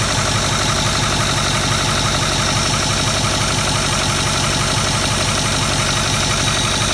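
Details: 2008 Ford Powerstroke 6.4L diesel idling with valve cover off, glow plugs disconnected: fast, fairly even light tapping about three per second over engine clatter; valve train tapping, cause not pinned down, little oil reaching rockers.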